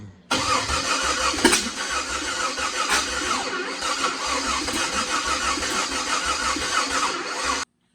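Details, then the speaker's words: Jeep Wrangler with a donor Cherokee engine swapped in, sat for years on eight-year-old fuel: the starter churns evenly for about seven seconds without catching; crank no start, cause unconfirmed. "we're draining into this tank to flush out all the old eight-year-old gas so we can put new stuff in because it just won't start"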